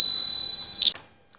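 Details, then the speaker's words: A clean, steady high-pitched beep from a bell continuity tester checking that the black wire from the DB is continuous while dressing a house-wiring SDB (MCB box), then a click as the probe lifts: the circuit is complete. "A DB বাজে কিনা দেখি এ শব্দ হইছে"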